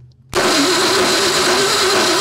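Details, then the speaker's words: Classic Ford truck on jack stands with power to the coil and a little gas, a harsh metallic grind for about two seconds while cranking with no firing; a dead spot on the flywheel is suspected as the cause of the grinding. "yeah I can feel it every time that's what that grindy sound is"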